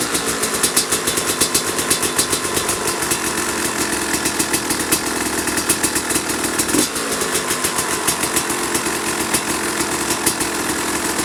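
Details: 2005 Kawasaki KX250 two-stroke, first fire-up after rebuild for low compression (piston shot, plating questionable, crank play): crisp even idle with clean throttle blips rising and settling quickly; runs healthy.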